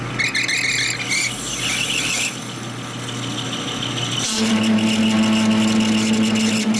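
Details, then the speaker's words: Lathe turning a 1960s Harley XL Ironhead kicker gear ratchet part: a rough scraping cut, then a steady piercing squeal held for several seconds. The worn carbide insert has no cutting edge left on one side and won't cut. "Yeah, just gone. There is no more cutting edge on that one side. Alright."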